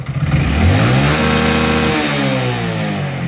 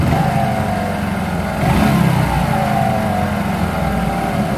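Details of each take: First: Hero Glamour 125 after a clutch plate change: engine revs then runs steady and even with the clutch let out; no rubbing or scraping, healthy. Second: Hero Glamour 125 motorcycle, 20-25 days after clutch plate replacement, also hard gear shifting: idling and revving with a dull scraping rub under the engine note; clutch bush pressing against the main bearing collar.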